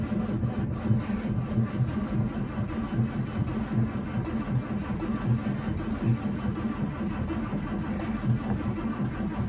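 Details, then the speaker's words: Standard Vanguard III not started in nearly a year: starter churns in a steady rhythmic beat with only a faint hint of firing and never catches; plenty of petrol, so the owner concludes it's ignition-related. "oh it's going it's uh I could hear it slight cough give it a give it a squirt I think I don't want to pump too much because can end up flooding it"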